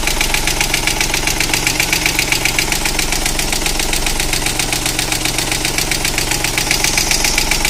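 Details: Opel Corsa 1.0/1.2 engine at idle: fast, fairly even ticking, about 150 a minute, on top of the idle; hydraulic lifters suspected, additive for the lifters plus a drive brought no improvement, cause unknown.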